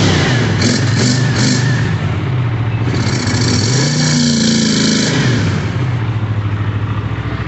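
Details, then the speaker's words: Twin on first run after kit and cleaning: idles fairly smoothly, then breaks into uneven spitting and stumbling as revs rise; owner suspects lean popping, cause unconfirmed. "Alright, it's idling and running good. And then I tried to give it some more gas and rev her up, and started spitting and sputter, lean popping, I thought."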